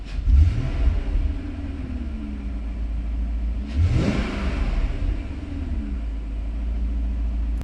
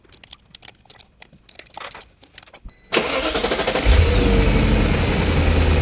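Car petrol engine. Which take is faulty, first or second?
second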